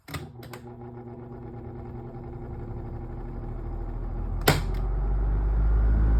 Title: Galaxy 2150 Making Weird Rattling Noises: Need Help With Repair! - rs12#shorts